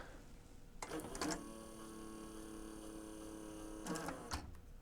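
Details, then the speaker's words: A&D GX-Z9100 three-head dual-capstan direct-drive cassette deck, transport out for service, a cam gear possibly missing part: clunk, steady motor whir for about three seconds, more clunks; mode mechanism cycling abnormally, cause suspected, not confirmed. "I'm trying to resist the temptation to manually try to push the mechanism over cuz uh yeah I'm kind of concerned"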